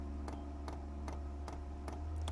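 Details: 8kW Chinese diesel heater being installed in a static caravan; soft regular ticks about two and a half per second over quiet background as the fuel dosing pump primes a line still holding air bubbles, fuel filter filling.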